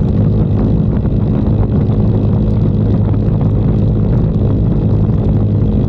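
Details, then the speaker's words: 2022 Icebear Maddog Gen V scooter after electric fuel pump conversion and wideband AFR gauge install, cruising: steady, even engine drone under wind rush, no sputter or stumble; normal cruising. "we're just gonna go for a cruise and see how it see what numbers we get"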